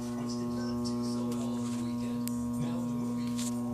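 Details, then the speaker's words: 1800 W microwave oven transformer salvaged from a microwave, plugged in with no load: steady low mains buzz holding one even pitch, no crackle, rattle or arcing; normal transformer hum. "that's a good hum"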